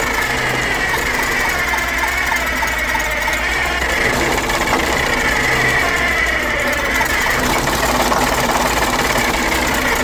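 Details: Old Detroit Diesel two-stroke in an abandoned vintage GMC truck gives a loud, rough clatter with an uneven beat, barely holding on; the fuel pump seems good and the owner suspects old fuel; the cause was the emergency air shutoff valve stuck shut, choking the intake.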